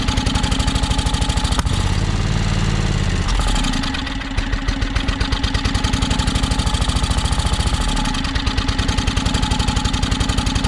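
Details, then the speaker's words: John Deere X485 mower after adding fresh gas, battery nearly dead: chugs with steady beat, then sags and recovers twice; suspected fuel starvation, possibly air pressure; rough running. "so so i guess my battery's about dead but that's a good sign so sounds like it's definitely um sounds like it's starving for fuel"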